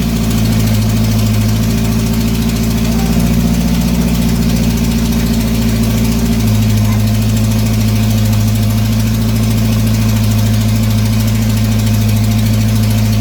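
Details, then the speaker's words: GM 2.2 engine just rebuilt, first run: loud steady high-speed roar never dropping to idle; throttle stuck wide open, throttle cable fell off; a vacuum leak at the EGR tube gasket was also found. "by the way watch out something wrong with the throttle throttle stuck full down pedal in there stuck all the way down"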